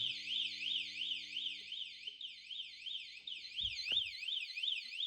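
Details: Kawasaki ZX-12R showing about 2,366 miles, stored for years and checked in roughly 3° cold. Power was connected straight to the battery leads, and a high warbling alarm sweeps up and down about three times a second. The security alarm works.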